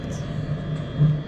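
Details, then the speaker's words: Truck diesel bunk heater after rebuild (cleaned out, new glow plug, gaskets, screens, fan motor): steady even low rumble, no surging or sputter, no smoke; owner believes it's fixed, tests still ongoing. "I think we did it. I think it's finally fixed. There's no smoke."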